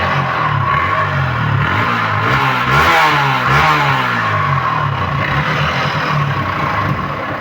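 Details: 2026 Yamaha MT-15 motorcycle with low mileage: single revs up and settles with a loose clattering rattle over the exhaust note; loud engine noise, source unclear.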